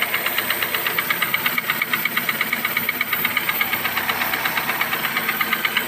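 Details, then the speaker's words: Toyota 1SZ-FE at idle: sharp, very even metallic tapping just under three per second, first suspected near timing, oil pump or piston; cylinder 4 piston found scuffed and nearly seized, barely moving by hand. "Хуй пойми, в районе ГРМ где-то там, блядь. То ли масляный насос, то ли, блядь, поршень, хуй ее знает."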